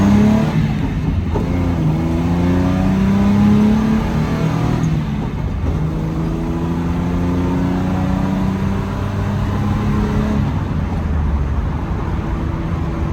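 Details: Test drive after rebuilding Solex Mikuni Type R carburetors (main gaskets replaced; previously leaks and poor running): engine pulls cleanly through the revs, pitch climbing and settling smoothly, no stumbling or throttle hang; normal acceleration.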